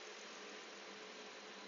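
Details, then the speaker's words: 2002 Porsche Boxster S 3.2L warming up after spark plug tube seal replacement and throttle body cleaning (codes P1128/P1130): quiet, steady, smooth idle with even hiss, no misses or hunting; normal idle. "I can definitely hear the car running very smooth"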